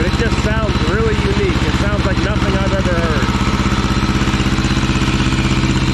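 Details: 1950s Schramm air compressor, barn find, running loud with steady thumping beat near 160 a minute and rough exhaust bark through a poor muffler; can't keep rpm up once the unloader kicks in.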